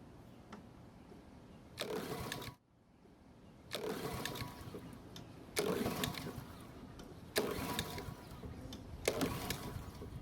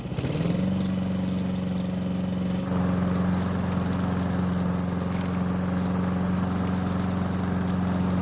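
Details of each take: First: Honda walk-behind mower, picked up free, fuel valve open, oil low but on dipstick: five rough pull-cord bursts about two seconds apart, engine never catches; combined throttle/choke lever suspected of not closing the choke fully. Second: Honda mower with a faulty choke, primed with fuel: it catches within half a second and settles into a steady, even single-cylinder drone with no misses or surging; normal running, with only the choke left to fix.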